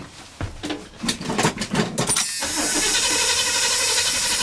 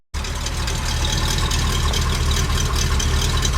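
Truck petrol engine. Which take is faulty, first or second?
first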